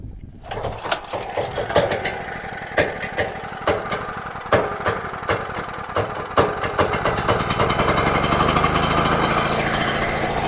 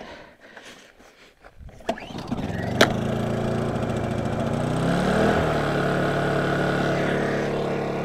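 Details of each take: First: Generator unused for a long time, after the fuel bowl was drained (owner suspects water or sediment) and started on choke: it catches and stumbles with irregular popping, runs rough, then steadies toward a buzz. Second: Honda generator, unused for a long time, starts at once after the gas-cap vent switch is turned on: quiet at first, then the small engine catches, picks up speed and settles into a smooth, even run. A healthy start.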